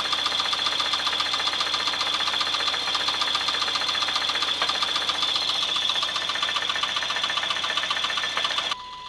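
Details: 1996 Chevrolet S10 4x2, 2.2L I4 MPI, 146,300 miles, idling: steady metallic ticking-knock near three to four per second over hissy top end; engine knock of undetermined cause, for sale for parts.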